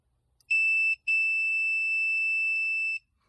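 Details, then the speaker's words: Furnace pressure switch tested on a continuity meter while suction is applied to its port: a short blip, then a steady two-second beep as the contacts close, showing the good switch works. "put my lips on the nipple, as I suck in gently, you'll hear that the circuit is made."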